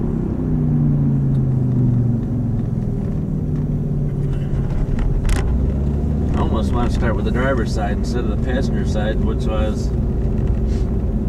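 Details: 2005 Toyota Matrix AWD while driving, low steady droning hum like an airplane over road rumble; camera belted in the back seat near the noisy rear corner; owner suspects a worn rear wheel bearing, unconfirmed, and plans replacing bearings.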